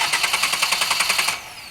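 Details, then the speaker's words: 2013 Ford Focus with a no-start issue traced to a bad starter; new starter installed and jumped directly at its terminals: rapid even whirring pulses, about ten per second, spinning the engine properly; starter healthy. "If that happens and it sounds just like that or something like that, then that means your starter's good and you don't need to replace it. Your starter's healthy."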